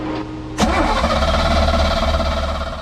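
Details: 1979 Sea Ray boat, sat 17 years, coil swapped from another boat after original tested bad: short starter spin then steady cranking drone that never catches; crank no-start, cause unconfirmed.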